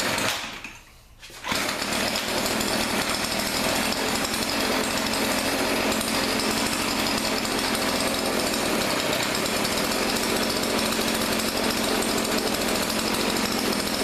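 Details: Thrift-store Weedeater PE550 edger, small two-stroke, after carburetor cleaning, air filter removed: catches after silence and holds steady even high buzz, no stumbles; runs, but only on choke, carburetor leaking fuel.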